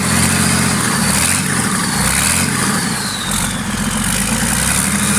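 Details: Freshly marinised 12V Cummins 6BT boat diesel, fuel pump screw turned up a half turn: deep, steady idle with even low throb, no misfire or knock; settles smoothly, normal idle.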